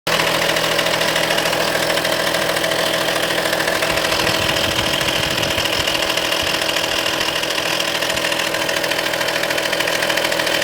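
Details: Audi A4 2.5 TDI diesel idling, glow plugs replaced, injectors OK: fast, fairly even chatter about 160 a minute with a bright hiss, from the driver's side. Owner suspects the accessory belt but is unsure.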